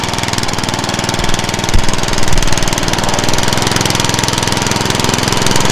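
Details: Craftsman walk-behind mower, first start after swapping the engine onto a different deck: small single fires up and settles into a steady, even beat with no misses or knocks; normal running.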